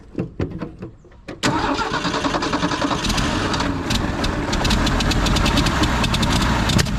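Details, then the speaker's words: Old carbureted Ford six-cylinder, with gas poured down the carb. A few uneven, halting cranks, then it suddenly catches and settles into a steady, slightly lumpy idle. Hard start after long storage. "let me just dump some of that gas down the carb and see if it wants to start before i get this all set up"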